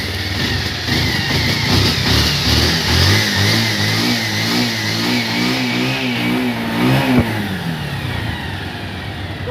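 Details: Bajaj Pulsar 150cc single-cylinder motorcycle revved up and down with a rough, uneven note through the rise; something is off, cause not pinned down. Abnormal engine noise.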